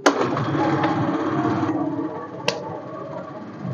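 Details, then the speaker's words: Honda Scoopy FI that stumbled, nearly stalled and drained its battery from an electrical supply fault, started without a battery after repair: kick start catches at once and settles into an even, steady idle without misfire; normal start and idle. "jika normal motor ini tanpa aki pun bisa hidup Ya kan"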